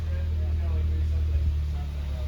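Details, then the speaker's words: Subaru WRX FA20DIT engine running after long troubleshooting, left idling so the O2 sensors warm up. Low, smooth, even idle with no knocks or misses after apparently learning itself out; now a normal idle. "dude i think i think it was just learning itself out for a second because that that's perfect idol right there"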